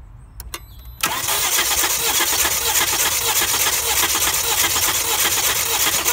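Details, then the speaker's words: 2000 Volvo V70 2.4 petrol cranking with fuse removed and one coil pack and spark plug out: about five seconds of uneven cranking beat, quickening once per cycle where the cylinder has no compression; demonstrates low compression by sound. "so there's obviously gonna be no compression on that cylinder so we're just gonna go and crank it around again and hopefully you're gonna see the difference"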